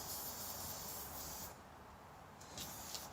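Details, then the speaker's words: Tire with a tiny screw just pulled from the tread before plugging: steady airy hiss that fades then spurts again as air escapes the small screw puncture; air leaking from the puncture. "oh my gosh it was just a tiny little screw I'll be dipped that's all it takes I don't know if you can hear that but it's leaking"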